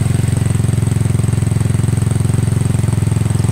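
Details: Yamaha Mio scooter that ran but would not move because of a local (non-genuine) drive belt, after the belt was fixed, rear wheel turning: smooth steady low putter about three pulses a second, no belt slap or grinding; engine and drive run normally.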